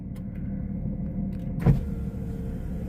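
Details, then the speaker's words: Daimler at idle, charging at 14 V: window motor runs smooth and even down and up at good speed, no straining; battery voltage now holds steady. "So, if I go to operate the window like I was this morning, so, that came down and up with good speed, but the battery is staying where it is."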